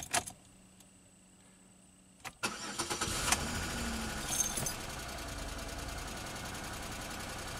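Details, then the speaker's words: Pontiac Grand Am after removal of aftermarket remote start/alarm and re-bending a poorly contacting yellow wire: quick crank catches cleanly into a steady, even idle with no stumbling; normal start, running without the remote system. "so at least i know now that this is gonna run without that stupid uh remote system everything seems to be tied in"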